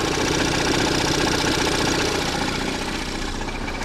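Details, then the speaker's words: 2016 Ford Edge 2.0L EcoBoost with 6F35 transmission, high mileage, warmed-up idle on a 30-degree day, heard under the hood: steady low rattling knock plus high-pressure fuel pump ticking; first suspected rod knock, found a cracked flexplate. "Under the hood, you just hear a low rattle. Don't hear it much, but then you can hear the high pressure fuel pump."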